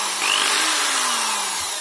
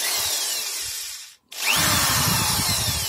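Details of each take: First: Corded Proton/Protool drill-driver running free gives a harsh, buzzy hiss with a rattling edge; owner first suspected bouncing brushes, but the rattle comes from a bearing loose in its seat. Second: Protool corded screwdriver after repair: steady high-pitched whir, brief stop, then spins up again without the former rattle at start and running, fixed by tightening screws and gluing a weak factory-defective housing part with sealant.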